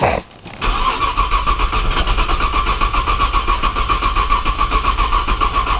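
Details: Cold 1995 Nissan Maxima, 210,000 miles, push-button start, in snow, jump box attached, owner re-priming fuel: starter cranks with an even rhythmic churn and whir, no catch or firing. Crank, no start.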